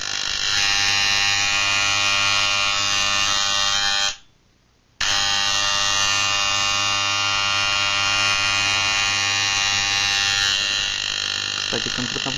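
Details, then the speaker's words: Moser 1400 hair clipper (likely a counterfeit, pet-grooming unit, about 3 years of occasional use) after adjusting the motor's moving-part gap and adjusting screw and stretching the spring: steady, even buzz with no rattle. Noise eliminated, runs normally. "если удалось устранить шум и при этом получить правильный достаточный ход ножа то переходим к следующему выставление ножей"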